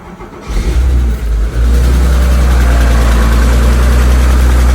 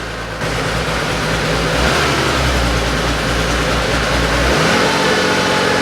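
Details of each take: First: Porsche 911 engine, recently driven about 300 km to a rally and back: rough idle with a steady ticking, constant hot or cold and unchanged by load or revs; owner suspects excessive valve lash on one valve. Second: Porsche 911 flat-six after a valve clearance adjustment (number six cylinder found loose), new gaskets, filter and 10 litres of oil: steady, even idle with a brief rev blip and no valvetrain tapping; the earlier knocking noise is gone.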